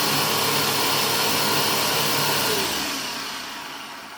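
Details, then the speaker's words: Bissell PowerForce Helix vacuum run with the rug plate off after cleaning the rusty brush roll spindle: even, smooth motor roar and steady airflow hiss, no rubbing or squeal, clean spin-down; brush roll aligned, not shifting or rubbing; normal run. "okay so as it ran it didn't shift to the left or to the right to where it was rubbing on anything plastic or if there was metal in here which there isn't rubbing on something metal so this is aligned properly"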